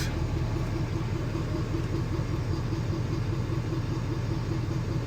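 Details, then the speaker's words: 2014 Ford F-250 6.7 L Powerstroke turbo diesel idling just after frame-rail Motorcraft fuel filter replacement and priming: steady low, even rumble with no misses or knocks; smooth idle. "oh yeah she sounds smooth now fellas she sounds real smooth"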